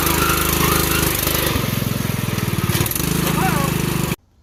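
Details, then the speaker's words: Mud Wizard mud rig on its last mud run of the day, after hauling another rig out of the woods: loud single-cylinder engine chugging hard under load, thin rising squeal at the end; burnt, slipping drive belt. "now in the end of this clip you can actually hear the belt squeal"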